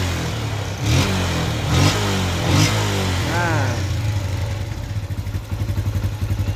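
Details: Yamaha Jupiter MX 135 that stuttered badly and lacked power on initial throttle, after replacing the CDI unit: three quick, clean throttle blips rise and fall without stumbling, then an even single-cylinder idle; pickup now smooth.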